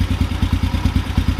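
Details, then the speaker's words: Carbureted motorcycle single as the idle mixture screw is turned fully in. The idle thumps lumpy and choking at about nine beats a second, getting worse until the bike shuts off completely; it is starved lean. "to choke up a little bit half in getting real bad full in that should be right there it stopped just shut the bike off completely"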